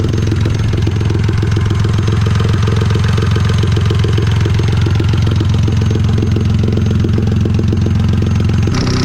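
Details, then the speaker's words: Forged turbo Mirage 1.2L go-kart engine (built for 40 psi, run at 15–17 psi) warming up before tuning: loud, even, fast-pulsing idle with steady low drone, no knocks or misses; sounds healthy. "While she's warming up, we're gonna do, well, I can't really do much in the way of tuning yet, but I'll get it ready to go. But man, she sounds good, doesn't she?"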